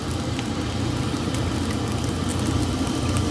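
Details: Gentleman Janitor GJ-5 coal stoker boiler test-fired on rice-sized coal: steady low rumble with an even rush of air from the blower and coal crackling, no knocks or rattles; stoker running normally.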